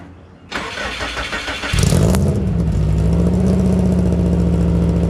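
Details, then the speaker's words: Car idling smoothly with an even exhaust note and no puffing or ticking, heard just after the repaired exhaust was welded back on; owner says it sounds much better; normal exhaust note. "Oh yeah, that's much better. Wow, that's a much better sound. I like it, guys."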